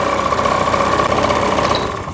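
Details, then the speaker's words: Honda Lead AF20 two-stroke scooter, first start after full engine rebuild, carburetor not yet adjusted: steady, even high-pitched buzz with no misses or knocks, then switched off; surprisingly stable, normal idle. "Скутер завівся. І, до речі, працює на диво дуже стабільно, бо карбюратора ніхто ще не налаштовував і перед ремонтом він був в дуже поганому стані."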